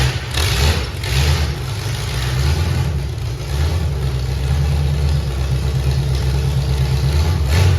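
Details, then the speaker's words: V8-swapped Ford Pinto with Holley fuel system, MSD ignition, nitrous, about 35° total timing: deep idle with lumpy, uneven beat that smooths as the four-corner idle mixture screws are turned in; rough idle from incorrect idle mixture. "I was turning in my mixture screws there it's got four corner idle mixture adjustment you notice how it was running really rough and then it quit running so rough"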